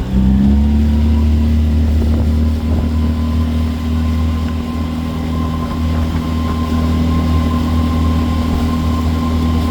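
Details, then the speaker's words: Boat engine on a water test run after injector cleaning and replacement, checking it won't stall: drops from a strong drone at high speed to a quiet, even idle with no stumble; good transition, no stall. "Nice. Going from high speed to low speed. Good transition. and it just gets real quiet. Don't stall. That's what we're looking for."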